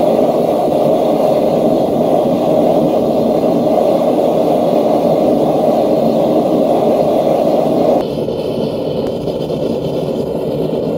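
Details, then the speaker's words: Homemade single-burner forge of 1/8" plate steel with coated insulated firebricks, first firing when finished: steady, even gas roar with no sputter or popping, easing slightly near the end; burner runs cleanly and works well. "So I think you can see that it seems to work pretty well. I'm pretty pleased with the results."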